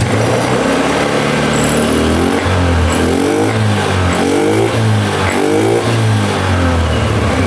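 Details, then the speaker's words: Honda Beat ESP scooter that showed blink codes 7, 11, 12, 52, after checking and refitting old parts: starts easily, small single revs settle back to steady even idle, no knocks or rattles; runs healthy. "sekarang kita starter motornya mudah"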